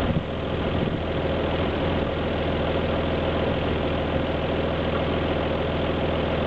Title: Alfa GT V6 misfire